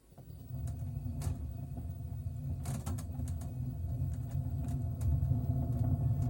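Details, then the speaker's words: LG direct-drive washing machine with a worn drum bearing: deep, steady rumble with a rustling edge as the drum spins at 400 rpm; the sound gets louder at higher speed. "когда вас будет изношен подшипник то при вращении барабана будет вот такой вот звук надеюсь микрофон передаст"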